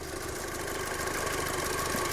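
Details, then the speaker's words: Mk2 Audi TT (high-mileage) idling steadily and smoothly with no stumble after coil packs were swapped around and codes cleared; no misfire codes now, only a mass airflow sensor code from the unplugged sensor. Normal idle. "so the car's actually running pretty mint now"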